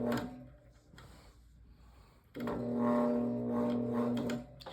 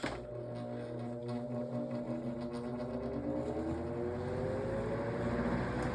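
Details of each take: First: GE Vortalex fan: low steady electrical hum for about two seconds with no clear spin-up, motor just sits and hums while struggling to start. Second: GE Vortalex fan switched straight to high: motor spins up quickly, hum settling into a steady smooth whoosh, good sound; normal running on high.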